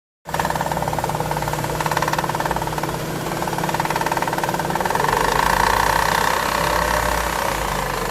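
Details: Chevrolet Aveo engine running with a rough, fast chatter and a whirring tone that swells slightly; the fault was traced to the accessory belt pulley.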